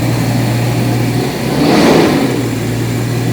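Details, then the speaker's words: Jaguar XJS V12 after new distributor cap and rotor (had intermittently dropped half the cylinders when warm, Marelli failure): steady idle rising cleanly through a quick blip and settling back evenly, no misfire; smoother and stronger than before. "It's definitely smoother than before. I mean, it did run on 12 when I brought it in here, but it wasn't as strong as it is now."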